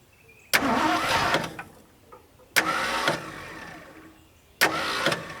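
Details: Mustang II Cobra that sat outside 27 years. Three separate crank attempts a couple of seconds apart, each a short laboured churn that fades without a steady catch, pointing to a tired starter.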